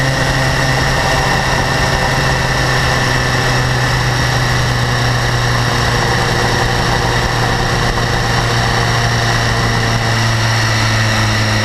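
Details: 2012 BMW S1000RR, about 4,500 km, steady idle: fast light ticking over the low engine hum, absent at first and growing louder; owner suspects valve clearance or exhaust interference-pipe flaps, unconfirmed.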